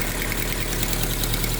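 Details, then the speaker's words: Chevrolet Agile/Montana pickup at cold start: idle with a fast, faint ticking puff riding on the engine rhythm from an exhaust leak; the noise fades as the engine warms. "Olha o barulhozinho aí, ó. Isso aqui é vazamento no escapamento, tá vendo? Vai aquecendo, esse barulho vai diminuindo."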